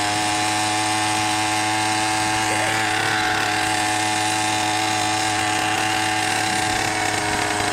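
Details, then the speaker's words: 100cc motorized bicycle two-stroke, rebuilt 49mm iron-sleeve engine, new wrist pin, 92 jet, needle on fattest setting: full throttle under load gives burbly uneven four-stroking, way too rich; runs better just off full throttle, jet needs leaning. "Full throttle right there, and you can hear we're 4-stroking hard, way too fat. But that's not bad."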